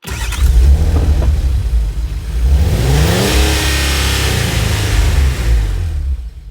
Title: Car Cranks Won't Start